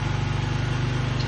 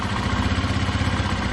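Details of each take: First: 2005 Honda Lead SCV100 scooter, carburettor idle speed set too high: a steady, buzzy, fast even idle that sounds like a lawn mower, well above a normal tickover, heard before adjusting the idle screw; idle should be set fully warmed up. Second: 2005 Honda Lead SCV100 scooter, after turning down the carburettor idle screw: steady, even low idle with no surging, and the rear wheel no longer spins since the CVT clutch stops catching; normal idle.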